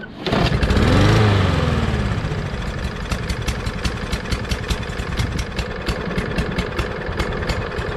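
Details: Craftsman push mower with Briggs 550EX engine, sat in a shed all winter, freshly fueled, oil good: pull-start catches, surges, then an uneven lumpy putter about three beats a second; runs rough, owner suspects a dirty carburetor.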